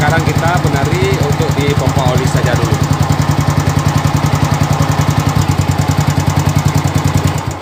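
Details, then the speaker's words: Old Yamaha Vixion single-cylinder idling with a loud, uneven tapping beat about 2.5 per second over the exhaust thump; abnormal engine noise, cause unclear, before water pump seal and bearing replacement where grey, water-contaminated oil was drained. "Enggak tahu juga tadinya bunyinya motor ini seperti ini nanti kita akan konfirmasi dengan pemiliknya gimana dengan bunyi seperti ini jelas sekarang"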